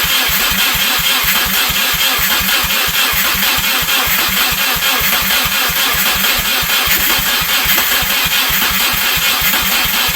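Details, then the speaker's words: Subaru EJ253, first start after replacing bent valves and fitting new head gaskets, no exhaust fitted, alternator disconnected, coolant not filled, jumped from battery: loud, raw, even popping idle, no knock or miss; normal running. "foreign she runs you're gonna hook up hook up the exhaust get the uh O2 sensors hooked back up take everything back off new timing kit fill the radiator put everything else back together but oh success"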